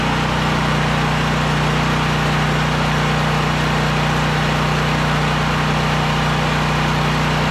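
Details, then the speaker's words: Champion 5500 W generator after maintenance (oil changed, filters and plug checked, new battery, valves untouched): loud, steady, even drone with a constant low hum and no knocks or misses; running smoothly. "The engine's running good, so I figured the valves are fine the way they are."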